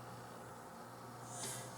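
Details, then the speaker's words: Sansui 881 receiver after tightening ground braid and cap ground screws, on unused source: only faint speaker hiss, no hum in either channel; normal quiet output. "you can hear a little bit of the noise, but you don't hear any hum in either speaker. So, that seems to have taken care of the hum."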